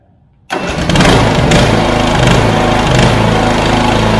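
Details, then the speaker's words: Swisher rough-cut mower engine started by remote-start upgrade: silence, then catches at once and settles into steady, even idle without misses or knocks; normal engine start. "And the next thing we're gonna do, we're gonna go ahead and start it. Cody's probably gonna move because I'm gonna start the engine up."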